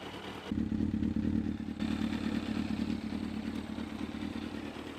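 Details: 2001 Yamaha FZS600 Fazer four-cylinder: engine picks up from idle into a smooth held rev and settles back, with all four cylinders even and no rattles; normal revving.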